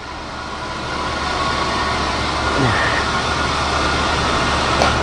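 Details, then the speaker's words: 270-S spin rinse dryer, last seconds of a short process before rotor stop positioner and door release: smooth steady rotor whir, no grinding, rubbing or wobble; normal spin-down, wafers come out dry and warm. "Okay. There's the rotor stop positioner. There you go. You probably heard the door release."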